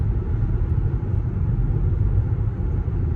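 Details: Before sound: Cooper Endurance Plus tires roaring since rotation, steady highway speed around 55 mph; constant low droning roar, no rhythmic knock; owner suspects tire tread, maybe wheel bearings, before swap to used tires.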